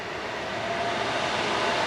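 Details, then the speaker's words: New 402 CFM exhaust fan for a GPU mining grow tent, test-run at max before ducting; loud steady air rush with even whir, no rubbing or rattling: running smoothly. "i'm sure you guys can hear it yeah that's gonna work way better"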